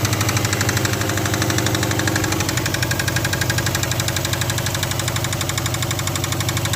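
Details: Subaru Forester at idle: sharp, fairly even metallic knocking about four times a second; clear internal engine knock.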